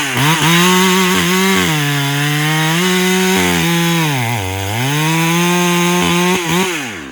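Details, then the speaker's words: Farmertec Husky 372XP clone chainsaw after new ported cylinder kit, carb running fat on top, dull chain, cutting wet unknown wood: strong high revs sag and pull back up as chain bites; crisp, healthy saw under load. "but this thing is definitely just ripping some wood I pulled some wet piece of wood out of here I have no idea what type of wood it is yes you definitely got more power no doubt about it"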